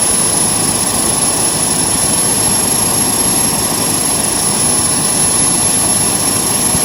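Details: JetCentral model turboprop turbine on a test stand during its first start-up, temporarily fitted with a wrong-size test propeller: even, unbroken jet-like roar with a fixed high whine; normal, healthy running, turbine around 5,600 rpm (not prop rpm).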